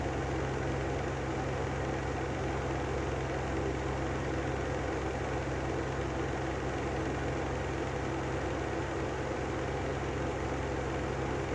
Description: Brand new Lanson exhaust fan with bad bearings